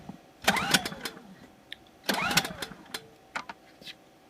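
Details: New Generac iX2000 generator on its first start after three more primer pumps. Two pull-start bursts of clatter die away with no catch. Cranks but won't start.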